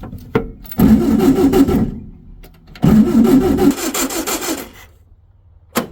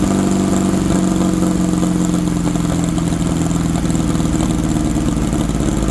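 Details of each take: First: 1964 VW Beetle (modified Baja Bug), formerly seized engine, first crank after over a year sitting: four long, dragging, slow, uneven cranking bursts that never fire; power present but very low, weak run-down battery, charger to be fitted. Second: 1964 VW Baja Bug, formerly seized engine, sitting over a year, run on old gas: even, steady air-cooled putter with firm low beat, no misses or knocks; idling healthy.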